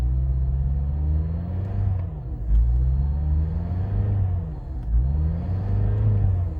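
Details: Mazda 6 after piston replacement, now hard starting and won't idle: revs climb and sag in slow waves every couple of seconds and never settle; engine hunting at high idle.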